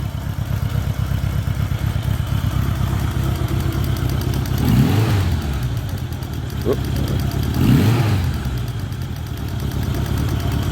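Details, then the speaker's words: 1986 Honda GL1200 Goldwing cold after sitting about an hour at about 60°F, clicking fuel pump normal: low, even idle with two brief throttle blips and no knocking or missing; normal cold idle, though it is cold-natured and the carbs may need work. "But anyway, starts and runs great. It's definitely cold natured, so eventually I probably will have to go through the carbs."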